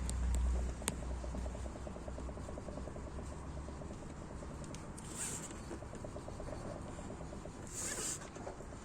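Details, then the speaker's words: Citroën C4 Grand Picasso, front raised, wheel rocked back and forth by hand: quiet quick clicking knocks about two a second transmitted through the strut; outer CV joint recently replaced with almost no play; front suspension knock. "и вот когда я так делаю колесо вот данный момент из листа делаю бьет аж стойку меценатами отдает этот звук"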